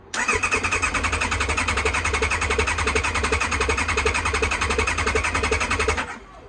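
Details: Kawasaki Ninja ZX-9R that sat outdoors for over four years, exposed once its cover disintegrated: the starter churns steadily with even compression pulses, nearly three a second, but it never fires. Cranking without starting; cause not confirmed.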